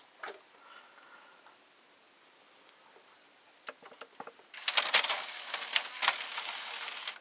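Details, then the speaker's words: Panasonic SA-HT820V VCR/5-disc DVD changer combo: after the drawer closes, light clicks then fast ticking and whirring as the stacked-drawer changer mechanism moves to its default position ready to eject disc 5; normal operation. "So it seems that after it closes, it goes to like a default position, so it will be able to eject disc 5. You can hear it going like up or something."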